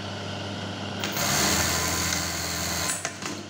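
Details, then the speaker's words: Brother 814 buttonhole sewing machine after repair of loud hard stop: steady high-pitched buzz running, then winds down with soft clicks and no hard bang; stop now quiet and clean. "udah lirik udah bunyinya enggak begitu keras"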